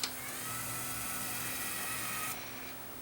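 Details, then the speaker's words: Luxman KX100 cassette deck, repaired motorized door: motor whirs at steady high pitch about two seconds, switch stops it dead, capacitor kick releases it; panel mechanism working properly. "so there it is the switch stops right there stops it dead and then it just kicks it a little bit pretty cool"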